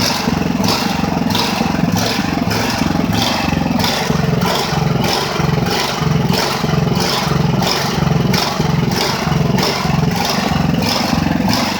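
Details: Ridgid generator, Honda GX390, restarted after repairs and months unused: engine note surges and sags about every half second instead of holding speed. Engine hunting, cause unclear.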